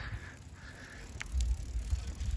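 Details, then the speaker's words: Vintage Schwinn Continental bicycle, test ride: quiet even rolling with faint ticking, barely audible freewheel going backwards; chain and gearing in great condition, normal drivetrain operation. "actually drives really really smooth i can't imagine needing too much work because and going backwards no you can barely hear that thing is that gear is in great condition"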